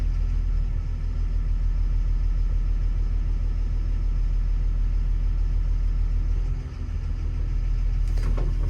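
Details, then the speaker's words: Develon DX225 excavator diesel, about 10,000 hours: steady knock about three times a second at idle. It disappears when cylinder one is cut via laptop and returns when reactivated. Faulty number one injector. "if I click number one That Knocking Noise disappears if I reactivate it it's back on again"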